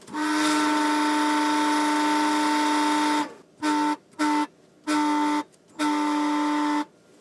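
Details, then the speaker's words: A steady mid-pitched whistle cuts in and out from a Ballu 3 kW heat curtain fan, as the impeller intermittently slips on the motor shaft instead of staying fixed to it. "То есть в какой-то момент он нормально работает, а в какой-то момент он начинает свистеть, то есть проскальзывает, и это переливается в шум, который в коммерческом помещении, само собой, не нужен."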